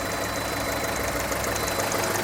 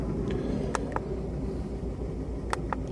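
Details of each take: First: VW Golf Mk4, cold, after fixing the coil misfire and heat shield rattle: smooth even idle with a light quick regular ticking from the charcoal canister purge valve while cold; runs good. Normal cold idle. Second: Mk4 VW Golf after fault codes were reset. The idle is lumpy and uneven with the exhaust beat stumbling irregularly; the misfire persists, the engine light later returns with code 16687, and an ignition coil is suspected.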